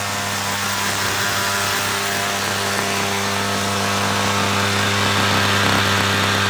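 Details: Homelite edger, about 6 years old, two-stroke on 50:1 mix, after replacing deteriorated fuel lines that caused cutting out and rough running: steady high-pitched buzz at even speed, no stumbling; normal running.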